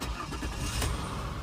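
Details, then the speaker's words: 2004 GMC Envoy XUV pickup: short crank, then it catches at once and settles into a smooth, even idle; fires right up with no knocks or pings, a clean, healthy start. "Fires right up. No knocks, no pings."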